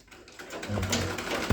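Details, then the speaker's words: Sewing machine after oiling at the right points: a short, even run with a soft, steady low hum and no knocking. The loud jamming knock it made before is gone or reduced. "আগে সুর আছে মানে বড় একটা মানে পেট পেটে শব্দ আছে, এখন কি শব্দটা নাই কমে গেছে।"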